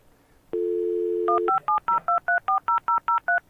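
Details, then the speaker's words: Old external dial-up modem (300 baud up to 56k era) dialing out normally: a steady dial tone for about a second, then a quick run of about eleven crisp paired touch tones. "And if this works, what you're going to hear is the modem dialing out. You'll hear touch tones, and then you'll hear a sequence of funny little beeps and boops."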